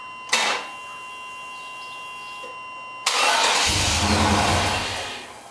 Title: Tahoe No Start